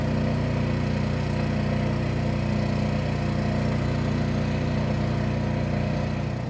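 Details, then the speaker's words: Champion 11000 W tri-fuel inverter generator heard from 23 ft at 25%, 50% and just over 75% load: steady, even drone at constant speed, no knocks, hunting or surging; running normally. "Okay, a sound check at 23 ft and 25% load. And now a 50% load and a little over 75% load."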